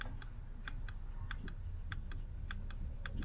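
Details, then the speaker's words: Vortec 5.7 V8 Chevrolet Suburban with crank no-start: fuel injectors bench-tested with 12 volts directly, sharp crisp clicks in quick pairs, all alike; impedance right on spec, injectors working normally, not the cause. "The injector's ohmed out fine, and they all make the same click noise when 12 volts is applied."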